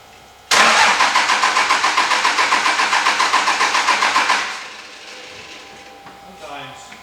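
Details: 2003 Cummins farm truck: no fuel pump at first, so a wire was jumped to run it. The starter then cranks steadily at about four beats a second for four seconds and stops without firing: no start, cause unconfirmed.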